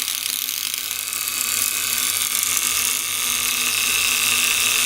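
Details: Antique violet ray medical machine (design shown from 1893), argon-filled glass probe, run with its control removed while the adjuster is turned: a thin, bright, steady hiss-buzz with fast fine chatter from the trembler coil, which is sparking normally.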